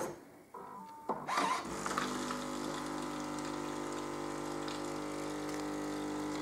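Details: Jura CZ117 coffee machine descaling cycle: clicks, then a steady buzzing pump hum settles in and runs evenly; normal pump operation.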